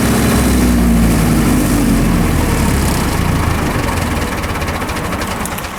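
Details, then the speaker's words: Military surplus diesel generator, stored several years: starts and runs with a strong even chug, voltage nearly 260 V, then overvoltage light trips on releasing the start switch and it winds down; safety works, suspected voltage setpoint issue. "as you can see right there the generator started right up with no problem and came up to two hundred and almost two hundred and sixty volts that time and as soon as I released the start switch the over voltage light came on and the generator shut itself back down"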